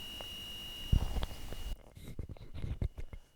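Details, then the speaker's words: Atari 65XE running on a temporary replacement power supply into a TV via A/V: steady high-pitched whine under desk thumps then cuts out; noisy output, temporary PSU suspected, not confirmed. "so it's working but it's really noisy if you can hear that"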